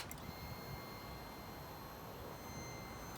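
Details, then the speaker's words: Royal Enfield Classic 500 after starter relay replacement, microphone near the fuel pump: thin steady high whine for about three seconds then clean cutoff; normal fuel pump prime, bike now starts reliably even with lights on. "you can hear the pump i'll just bring it up near the tank actually i'll bring it up right near the pump you can hear that"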